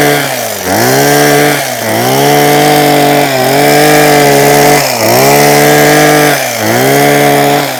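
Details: Husqvarna 123HD60 hedge trimmer, two-stroke, after new carburettor diaphragm and carb clean, cutting a hedge: strong high buzz that sags and recovers every second or two as the blades bite, running clean and healthy.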